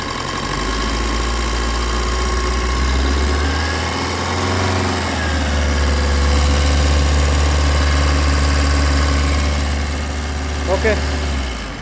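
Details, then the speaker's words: Maruti Swift diesel after a stretched, loose, poorly lubricated timing chain was replaced along with an oil and filter service: a steady, even idle with one brief smooth rev blip, no rattle or tapping. Engine now sounds smooth. Normal idle. "Okay engine നല്ല smooth sound ആയിട്ടുണ്ട്."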